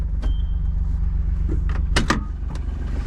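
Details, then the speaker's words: John Deere Gator just after being washed, owner suspecting it got wet: a steady low whir throughout with a brief high whine and scattered clicks. Abnormal whirring, cause unclear. "so I think I might have just done a bad thing to this gator but oh well what the heck oh what the heck you guys hear that"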